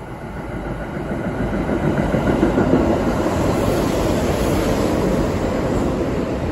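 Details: Kintetsu 2000 series semi-express to Nagoya passing Fushiya without stopping: a steady, repeating thump of about three to four beats a second over the rail noise from a wheel flat spot.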